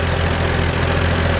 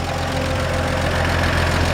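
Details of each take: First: 1947 Chevrolet 3100 with its original 216 six, converted to 12 volts with a new alternator: steady, even low idle with a light lifter tick on top; a healthy engine, plus a small squeak the owner suspects is the belt. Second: 1947 Chevrolet 3100 truck, original 216 six, converted to 12 volts with a new alternator. Steady idle with audible lifters and a brief high-pitched squeak, possibly the belt, not confirmed.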